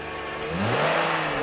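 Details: BMW E46 petrol engine with the AC compressor checked as the suspected whine source: runs smoothly and rises briefly in revs, sounding normal with no whine; AC compressor still considered a possible cause.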